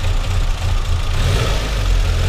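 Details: VW Citi Golf 1.4i idling steadily but noticeably fast without settling lower, even after a battery disconnect and MAP sensor cleaning. The MAP sensor is suspected (unconfirmed).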